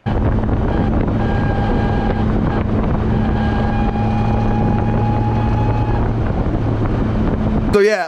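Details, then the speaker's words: BMW E34 540 with ZF 5-speed run dry for months and hundreds of miles: steady high gear whine over engine and road noise persists after fresh fluid; gearbox badly worn, before trying Xado additive. "uh i put fresh fluid in it i did a bunch of maintenance just to find that the noise uh didn't go away the damage was done so it's clear that this transmission is worn pretty badly"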